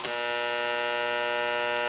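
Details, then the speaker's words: NuTone IM3003 radio intercom master station on bench, door talk selected, common failure mode before repair: steady loud buzzing hum of fixed pitch from the door speaker; hum is louder and varies in pitch in talk modes. "even though you can't see it there's a loud hum coming out of my bench door speaker"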